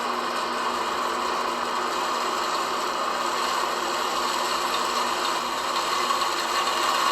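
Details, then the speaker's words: Air conditioner outdoor unit with water deliberately poured into the coils to flood the base pan; constant hissing splash and spatter over the fan hum as the slinger ring throws the water through the condenser coil. "That noise is that slinger throwing the water through the coil."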